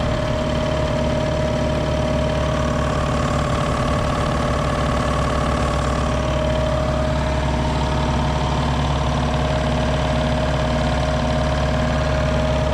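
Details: 60-gallon Black Diamond compressor with hammering factory pump replaced by Harbor Freight pump, 30-weight oil added: steady even pumping chug with constant motor hum, no knocks or squeals; fills to about 120 psi, kicks back in about 100; normal.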